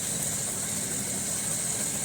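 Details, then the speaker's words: 1994 Ford F150 4.9 engine after replacing the MAP sensor: smooth even idle, no popping or misfire, steady hiss on top; the old MAP sensor caused the rough idle, popping and misfiring. "Listen to that. It's not popping no more. That's nice."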